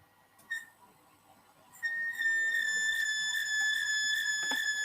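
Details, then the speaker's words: Mitsubishi Melservo-J5 servo drive axis with a wheel that was loosely fixed and then re-fixed: a steady high whistle with ringing overtones starts as the axis runs, vibration higher than before; suspected tuning gain too high, not confirmed. "so it wasn't the good solution but we can hear that the vibration level is um is is higher what we can hear here as a uh uh at least and this value is also visible here"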